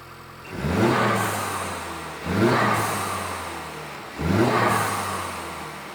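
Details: Honda Civic Type R FL5 turbo petrol just after fitting a Turbosmart Kompact BOV: three sharp revs climb and fall, each followed by a crisp airy hiss as the valve dumps boost; a healthy setup.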